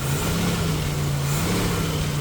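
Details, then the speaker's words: 1989 Jeep YJ with carburetor and electric choke, previously running rich and fouling plugs, fully warmed up with air filter refitted: even, steady low rumble with no misses or knocks; normal engine running, idle slightly high. "She's all warmed up now. Put the air filter back on, and it sounds okay."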